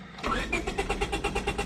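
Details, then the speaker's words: 2000 Honda Civic 1.6L SOHC, cold and wet, after engine died: steady cranking at about eight pulses a second without catching; moisture inside a cracked distributor cap kills spark. "and if we go to try to start it it probably won't start or if it does it'll run like crap yeah that let's it's trying"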